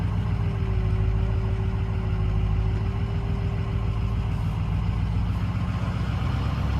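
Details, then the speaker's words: Ford 6.0 Powerstroke diesel on its first drive after rebuild, at about 174°: a steady mid-pitched power steering pump whine over the idle, with the fluid just filled. "oh got a little power steering lne but we just filled it so yeah let's uh hopefully we can get rid of that"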